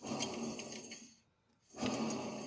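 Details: Renault Twingo rear left wheel bearing, worn out: a coarse, gritty rumble as the wheel turns, fading and returning.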